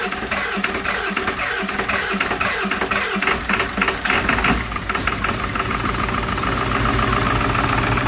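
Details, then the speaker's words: 7.3 Powerstroke (Navistar T444E) turbo diesel with 372,000 miles, cold start after sitting in a crate about two years: it fires and settles into a loud, rough-edged but steady cold idle with a firm exhaust note; the exhaust back pressure valve works. "so this will be uh kind of a cold start um this engine hasn't been run in about two years"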